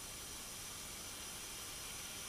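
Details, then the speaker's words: Nissan RB26 in an R32 GTR, engine off, pressurised to about 10 psi with a boost leak tester: a steady airy hiss grows as air escapes past the paper intake manifold gaskets at cylinders 1 and 2, which likely blew at about 1.1 bar boost. "when I stick my hand in there both number one and number two are leaking right now it's at 10 psi"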